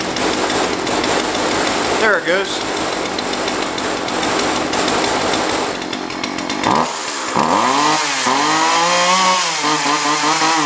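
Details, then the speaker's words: Jonsered 2036 Turbo two-stroke chainsaw from a neighbor, non-running before repair, cover off, now starting: catches and keeps running with a rising, wavering buzz as it revs up before warm-up; normal running. "I would say we've got it I'm gonna let it warm up for a little bit"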